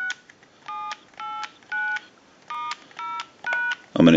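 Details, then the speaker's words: Bell South clear Lucite Trimline telephone, dialing into a line analyzer: eight clean quarter-second DTMF key beeps with even gaps, steady pitch and no dropouts. Normal tone dialing. "we want to go ahead and dial our numbers if you watch the analyzer you'll watch the numbers roll by"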